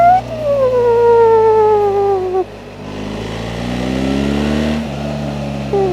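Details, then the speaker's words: 2025 BMW R 1300 GS Adventure ASA boxer riding on the street: smooth whine rising and falling with road speed over the exhaust, the model's usual transmission whine, less prominent than the standard GS due to the larger tank. "It still makes that noise. It's not as predominant as on the GS because you have more tank here, and you have an aluminum tank versus the GS has a plastic tank."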